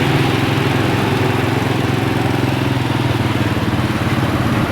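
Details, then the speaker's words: 1997 Honda Astrea Grand motorcycle with faulty CDI that keeps the engine running after ignition key is off, with a known-good CDI fitted: steady, even single-cylinder idle with low throb, no misses or knocks; normal idle. "Kita matikan dulu ya, kita cek dulu motornya ini. Motor bisa hidup normal ya."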